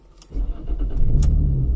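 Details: Jaguar X-Type non-start: starter cranks, then the engine fires and rumbles briefly without settling into a steady idle; catch-and-die start. Fuel delivery is suspected.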